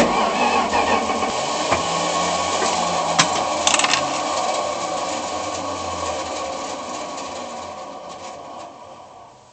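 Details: Slant 6 engine cranking with a harsh, uneven grinding rattle and clashing instead of a clean whir: bad starter, gears sound stripped.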